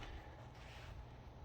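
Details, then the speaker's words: Lyman power feed (brushed DC motor, potentiometer speed control) on Bridgeport milling machine, turned down to low speed: low steady hum with faint higher tone, arcing, starting and stopping, table not moving; motor likely too weak at low speed, unconfirmed. "you can kind of hear it down at the low end it's arcing a lot and it's making a lot of noise and it's kind of like starting and stopping"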